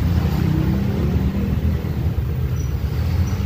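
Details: Nearly new Kawasaki Barako 2 motorcycle showing 132 on the odometer, which kept stalling even while running; after a repair fuel flow is now good. A low even rumble holds steady without sagging or cutting out. Normal idle.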